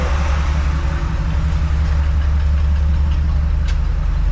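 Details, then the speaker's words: 1954 Chevy rat-rod truck on a 1991 Chevy dually frame, small-block 350 with HEI ignition and four-barrel carb, idle turned down from slightly high to about 600–700 rpm: a steady deep rumble with no knocks or misses. Normal idle. "Might turn down that idle just a little bit. Sounds just a little high. There we go. That sounds better."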